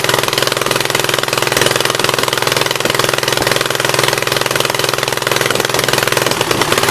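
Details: 1976 Gravely 816 small twin: uneven lumpy beat of about 2.5 pulses per second with one cylinder dead, a misfire; the owner is almost sure that cylinder's exhaust valve is stuck open.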